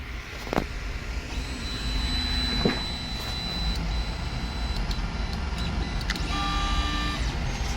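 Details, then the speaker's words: Ender 3 Pro 3D printer with ChowThink ball-screw Z-axis upgrade, Z steps set to 800: smooth stepper whine with clean steady tones while homing and raising the gantry, no binding, knocking or grinding; quiet, ball bearings inaudible. "Everything's moving pretty good. It's not loud either. You can't hear the ball bearings in the ball screw doing what they do."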